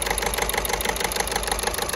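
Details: VW Golf 6 1.6 TDI at idle: sharp, even clatter about twelve times a second over a shaking idle, the engine moving a lot; one faulty injector knocking.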